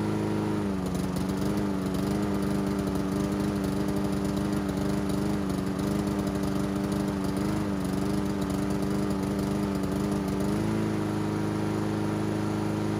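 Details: Honda GCV160 engine on a Husqvarna AWD mower, which had choked out after tipping on the wrong side soaked the air filter with oil, auto choke confirmed working; fairly steady buzzing run with a couple of brief speed dips, sounding normal.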